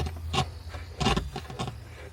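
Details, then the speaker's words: RV audio system after an electrical failure, with only the subwoofer working: irregular sharp crackling bursts over a low hum when the speaker cable is wiggled and no music comes through; crackling from a loose audio cable. "the cable. You can hear all that crackling, but I'm not getting the sound. I'm just getting crackling."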